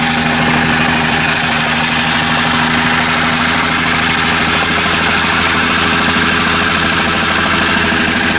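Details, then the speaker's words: Small two-stroke saw after carburetor diaphragm work: fast, steady buzz with an even beat, no stumbling or surging; owner wonders whether rings or cylinder are getting worn. Normal running. "this seems alright we'll have to run her up at the foundation here at the house but uh fired up here again"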